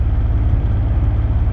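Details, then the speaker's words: Twin-turbo V12 Mercedes CL65 AMG driving, under throttle: deep, uneven, lumpy stumbling rumble, shaking the whole car, check engine light not flashing; misfire under load, cause suspected but not confirmed. "hit the gas a little bit ah it's shaking like crazy dude the only thing i got to say right now is let's just hope that check engine light doesn't start flashing so it's misfiring right now oh geez that is so bad"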